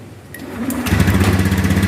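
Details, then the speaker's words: Honda Beat FI scooter restarted after a fuel pump pressure check with a pressure gauge and reassembly: quiet start, then a steady, even low putter with no knocks or misses; normal idle, fuel pressure judged good and stable. "Mesin kembali hidup seperti semula."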